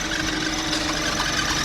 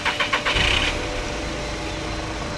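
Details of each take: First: VW Polo at idle, previously had timing chain work: steady high squeal from the auxiliary belt area over the engine; loose belt slipping on a worn idler pulley with a slack tensioner. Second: VW Polo 1.2 petrol cranks, catches and settles into a steady idle with no belt squeal after a new auxiliary belt and tensioner were fitted.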